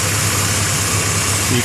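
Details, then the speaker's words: Jeep XJ idling with no air filter: a steady airy hiss, found leaking from the bottom of a sensor-area component; the throttle body had carbon buildup and the filter area was soaked with power steering fluid. Vacuum leak. "still hear that hiss coming from around here somewhere uh it might even be the bottom of this sensor here might have just found it"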